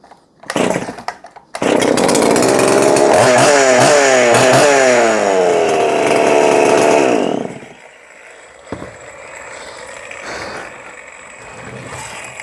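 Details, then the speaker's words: Donated two-stroke chainsaw, owner unsure but thinks it may need crank bearings: fires and revs hard for several seconds, note wavering up and down, then drops to a ragged idle; has an issue needing fine-tuning. "it runs. But it does need somebody that is capable of fine-tuning an issue."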